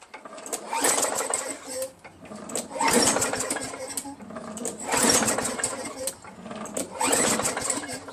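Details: Craftsman 21-inch push mower, Tecumseh 5.5 HP engine, that previously ran only when primed then stalled, after Mechanic in a Bottle treatment and carburetor bowl cleaning; keeps running on its own, note swelling and easing every couple of seconds, no longer stalls.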